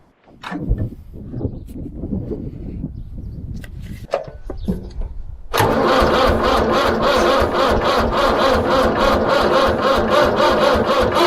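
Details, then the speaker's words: David Brown 990 diesel tractor, a non-runner until water was flushed from the fuel filters and the air purged: cranks a few tries, then fires into an even diesel clatter of about four beats a second; motor sounds mint. "but at least that motor runs man that sounds mint"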